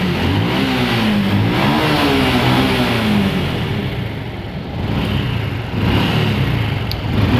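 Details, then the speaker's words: Honda Revo fuel-injected motorcycle that was sputtering, after replacing the spark plug with one under 4 ohms resistance: small single fires and revs smoothly with no misfire or stumble, holds idle; normal running. "ternyata motornya normal teman-teman kita lakukan pergantian menggunakan busi second ya yang nilai resistansinya itu di bawah 4 Ohm"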